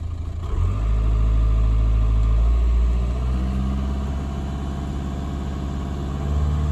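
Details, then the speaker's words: Car on roadside call for crank no start, battery load-tested (480 A against 520 A rating) then started for charging test: low steady idle settling after small startup rise, no knocks or misses. Normal; alternator and battery check out. "normal everything checks out alternate Divine battery seems fine"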